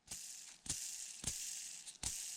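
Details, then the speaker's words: Traxxas UDR RC truck during overhaul: hand-spun small ball bearing gives a dry, gritty high-pitched rattle, running dry without grease; to be reconditioned by popping the shield off, cleaning and regreasing. "but the bearings running dry."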